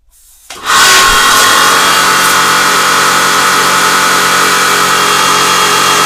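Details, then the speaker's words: Karcher HD 6/15 pressure washer after switch replacement: motor settles into a steady drone with constant water hiss, no surging or pulsing. Pressure is stable around 140 bar against a manual maximum of 160, with no leaks. "140 bars in any case they are stable according to the manual the maximum is 160"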